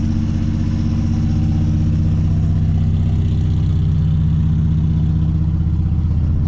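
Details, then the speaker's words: 1963 Plymouth Belvedere slant six, sitting since 1978 with fuel found in the oil: smooth, even low putter about 160 beats a minute, steady with no misses. Healthy idle. "I can't believe that after sitting that long, it just fires right over the rug. These slant 6s are pretty indestructible though. Oh yeah, there you go. She is running like a champ, guys."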